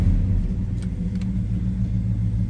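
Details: 1966 Chevrolet Chevelle SS 396 big-block V8, 4-speed manual, idling: deep, loping, even rumble with no knocks or misses; normal healthy idle, throaty exhaust note.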